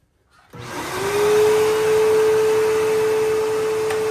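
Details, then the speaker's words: Bissell PowerForce 3522-1 upright vacuum whose motor had been squeaking and was lubricated, fitted with a new belt and original roller. Steady, even motor hum holding one clean pitch with no squeal or rattle; normal vacuum motor run. "And yeah, motor sounds great. It's all lubricated, so it should be good to go."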